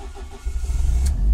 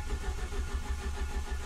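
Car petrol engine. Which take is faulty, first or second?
second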